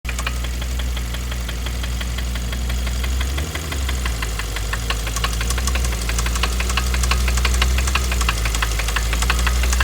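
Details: 2012 Kia Optima SX petrol engine idling with a loud steady knock about three times a second, with sluggish acceleration and sputtering, just before complete engine failure.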